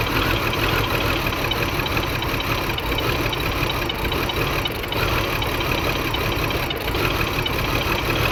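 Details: 2002 BMW X5 3.0L AWD with multiple misfire after new battery and spark plugs, reading about 41 instead of 50 at idle: uneven, lumpy idle right after start with irregular stumbles; cause not confirmed.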